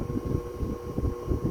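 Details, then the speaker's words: 1936 Westinghouse PowerAire 'Darth Vader' 10-inch oscillating desk fan, single speed, tested before restoration: loud steady electrical buzz over the airflow rumble from switch-on; motor windings need revarnishing. "That really prominent buzz is a telltale sign that it needs revarnishing on the windings."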